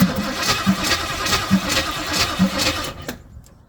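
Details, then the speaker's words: Pink Jeep after brake work, cranking with the air cleaner off: uneven starter pulses about 1.5 per second that never catch. Cranks but won't start; they suspect it needs choke and is getting too much air. "you probably need some choke and it can't get it with all this air"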